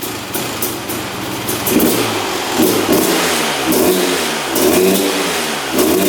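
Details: 2001 Honda CR250 two-stroke that the seller said would not run, fired on the second or third kick with the choke; uneven burble with lazy rev pickups that hang and fall back, smoking a lot; owner suspects rich running or excess oil, unconfirmed.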